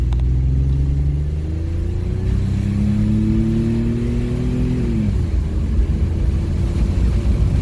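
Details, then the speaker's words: 1995 Chevy Blazer 4.3L central port injection after a new spider assembly and leaking lines replaced: hard, clean wide-open-throttle pull climbing to the top; upstream O2 stays rich, goes lean on decel; much more power. "rich we're retro rich let off d cell should go a little bit lean there we go night and day difference a lot more power"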